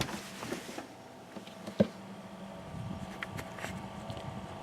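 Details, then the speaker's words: Truck Fridge TF130 newly installed in a Roadtrek, temporarily wired, battery charger charging; the compressor with fan at the top gives a faint, steady low hum under a few handling clicks. The compressor is running fine. "you hear that I can hear it here hear that it's running fine"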